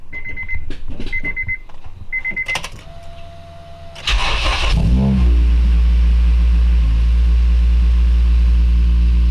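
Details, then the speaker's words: Acura RSX high-compression engine after the battery was relocated to an Optima, with the alternator not yet connected: warning chimes, then a brisk, even crank that catches quickly into a steady idle. The previous slow crank appears fixed. "okay you got everything's good see if you crank normally that sounded pretty good to me the true test is if it does it again"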